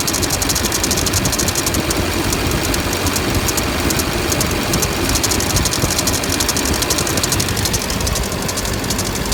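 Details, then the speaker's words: LMM Duramax diesel at idle: light, quick ticking/clicking over the clatter, sounding like a bad pulley bearing; after replacing every pulley and the A/C clutch, the cause turned out to be the serpentine belt. "That clicking sound. It sounds like a bearing pulling."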